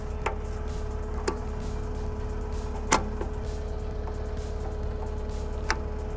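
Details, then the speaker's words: Skid steer mower/brush attachment hydraulic motor bench-tested before refitting the rebuilt right-angle gearbox: steady low hum, even mid-pitched tone, a few stray clicks, no bad noise, motor undamaged. "okay so i think that one well i didn't hear anything that sounded bad so i'm just going to disconnect it just in case there's any pressure in it"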